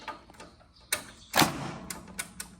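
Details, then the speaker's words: John Deere 318 with a Kohler 25 hp repower, after fitting a starter relay kit: several loud single clicks a second or so apart with no cranking, caused by a poor battery connection; cranks once the battery is fixed. "And you hear how loud that click was? That's just because the battery's losing connection."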